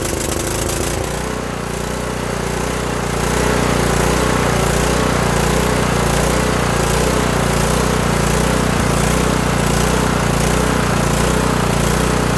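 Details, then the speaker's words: Kohler Courage 18 single-cylinder on a Toro lawn tractor, before adjustment: the idle thumps with speed swelling and sagging, surging hard, and the governor linkage rod is seen rocking back and forth. The carb jet is non-adjustable; the fix targets the low idle adjustment screw. "so looking at this toro lawn tractor and um this uh this engine likes to just surge like crazy"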